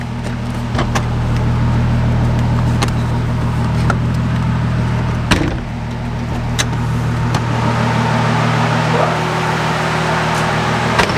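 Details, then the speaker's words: Toyota 1JZ single-turbo conversion, just finished, with spare vacuum lines blocked off: steady, even idle with a smooth low drone and no knocks, misses or hunting; running perfectly. "I'm pumped, dude. That sounds so good. And it runs perfect, man. Like, I did not expect it to run this perfect."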